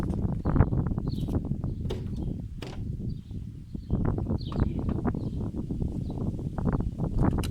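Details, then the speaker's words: Opel Corsa C 1.2 16V (55 kW) petrol, first cold start: uneven, lumpy thumping that stumbles and misfires, fails on first try then starts on second; suspected poor connector contact, not yet cleaned. "Here you see each other, so it's me for the first time the car started and wouldn't start, in the end is a little tight, that's all."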